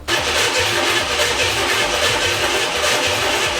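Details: CJ-7 Jeep with early LS swap (Vortec 5.7 350 V8), sat nearly 20 years, freshly rewired engine harness/ECU and new fuel system, good spark confirmed: steady starter churning, about four even compression beats a second, no firing; cranks but won't start, fuel suspected.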